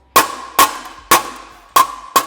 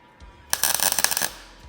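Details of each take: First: There It Is hear that Sol yep that's it that's what I want when I'm on Dolly Second: MIG welder on argon/CO2 mix set at 110, tacking flush butt joint on sheet metal, possibly via sketchy extension cord: short sputtering crackle of rapid pops, cold stuttering tack. Heat set too low.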